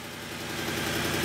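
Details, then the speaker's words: 2008 BMW E92 M3 4.0 V8, 48,000 miles, sat 3 years, jump-started with check engine light on: idles fairly evenly with a faint light tick. It dies after about 15 seconds, and the seller suspects a bad engine. "It's running. It's got a little bit of a tick. And he said that it won't run for long."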